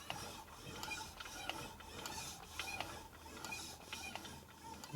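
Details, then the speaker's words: Custom 1941 Harley-Davidson WL 45 flathead built as a 56ci stroker, turned slowly by hand: scattered, inconsistent clicks and clunks near top dead center on the rear cylinder compression stroke. Echoes through the valve train; owner suspects contact at the camshaft. "There's that clunk again. What the hell was that? I don't know what the hell that noise is."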